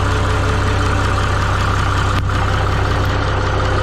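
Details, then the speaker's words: Minneapolis-Moline G950 propane tractor idling after doubled exhaust manifold gaskets with RTV and a new-old-stock muffler; low even thump, no top-end tick where a valve ticked the night before; good oil flow, quiet smooth-running engine. "down much quieter sounds a lot better that that valve must have really it was ticking pretty good last night sounds pretty good I'm getting good oil flow"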